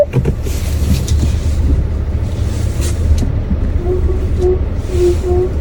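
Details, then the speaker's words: 2025 Hyundai Avante CN7 at 6,000 km: short repeated squeaks over low cabin rumble when reversing with brake pressed and steering turned while parking; creak present since December, source unknown. "보통 후면 주차를 할 때 브레이크를 밟은 상태에서 핸들을 돌리고 후진을 하잖아요. 근데 그럴 때마다 끼익 하는 소음이 나요."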